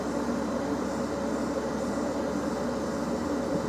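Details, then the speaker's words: Hot air rework station at 370 with air lowered to 40%: steady even rush of air with low hum, no flutter or rattle; normal hot air flow at low setting, said to control heat better and not burn nearby parts. "Oh, wow. Slow air flow. Yeah, Lee does this. Well, slow air flow. Yeah, I just noticed that. And actually controls the heat a lot more."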